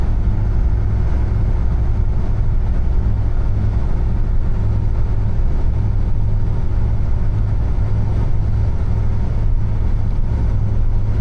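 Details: Niva test drive on the highway after gearbox repair (some gears replaced, 2.5 L 80-90 oil added) at 92,351 km: smooth low drone, no whine, grind or clunk; gearbox working flawlessly, front propshaft still needs replacing or repair.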